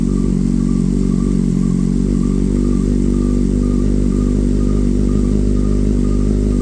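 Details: Kawasaki Z750 cold start without dB-killer: loud open-pipe idle with a light high chirp repeating about three times a second, source not pinned down; chirping noise on cold start.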